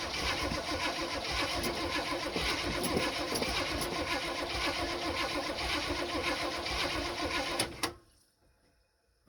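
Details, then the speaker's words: 1974 Chevy C10 that sat for a while, points ignition, after cleaning the points and distributor cap pins: steady cranking, about four turns a second, for nearly eight seconds with no firing; cranks but won't start. "We don't have spark. And why don't we have spark is the question."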